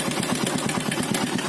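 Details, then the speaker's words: 2012 Yamaha Byson carbureted motorcycle, left side of engine noisy despite an engine rebuild in January: fast even metallic clatter about eight ticks a second over idle, blamed on the cam chain, later replaced; cam chain rattle. "itu katanya penyakitnya itu rantai kamrat atau rantai keteng"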